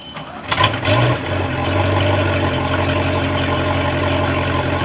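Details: Bayliner boat engine with a bad starter catches after a brief crank and settles into a smooth, even idle with no knocking or stumbling.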